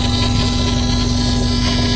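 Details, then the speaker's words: 1982 VW Westfalia with Subaru engine swap idling, mic close to fuel pump: steady thin whine not following engine; noisy electric fuel pump, owner suspects dirt in it, cause unconfirmed. "I'm going to go and check the uh fuel pump here. I can get close to it. Noisy little thing. Yeah, it makes lots [music] of noise."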